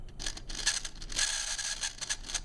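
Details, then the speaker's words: Tyco Spirit of America Ten-Wheeler model steam locomotive on transformer power, motor buzzing and crackling with a thin high squeal from dry motor bearings, before lubrication; also bad electrical connection from front tender truck to tender frame. "and you can hear the motor bearing squealing so we'll have to uh lubricate that before we run it so basically we've got a bad electrical connection from the front truck to the tender frame and we've got dry motor bearings"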